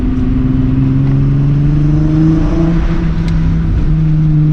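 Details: VR6 car driving after a ~115 mph off-track excursion and inspection: smooth, even engine drone at steady pitch, no clicking from the front end (earlier suspected passenger axle click gone); sounds healthy.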